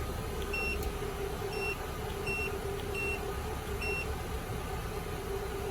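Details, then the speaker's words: 2000 Toyota Camry four-cylinder after replacing the faulty injector that caused the cylinder 3 misfire (P0303): steady, even idle with no stumbles or missed beats, a few light chime beeps over it. "y pues éste ya el problema está corregido ok este podemos observar de que el vehículo lo vamos a echar andar ahorita"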